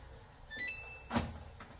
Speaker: Right there. It's locked up, and it's going to start the cycle as it normally would.